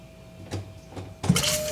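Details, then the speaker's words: 1991 Honda Civic revived after 10+ years sitting, fresh head gasket, no fuel reaching engine: banjo bolt loosened, key on, faint pump hum then sharp hiss as fuel sprays out; fuel pump working normally, not the cause. "Yes, there's fuel coming out. Ah! Okay, well, we know that it is not the pump that is the issue."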